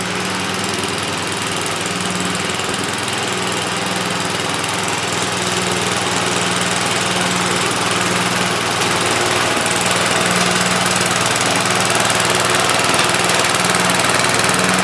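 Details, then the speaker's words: MTD Wizard 12 hp lawn tractor, free and revived, runs steady and even at a fast, regular beat under load with no knocks or misses while mowing; healthy, though owner notes low power and may test compression and valve seating. "well I guess that's a wrap it runs drives and cuts what more can you ask"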